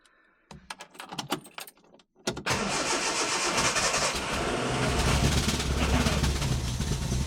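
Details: Ford Escort Mk1 Mexico after fuel pump replacement, test run with fuel poured in the top and choke on: a few light clicks, then the engine fires and runs evenly with no misfire.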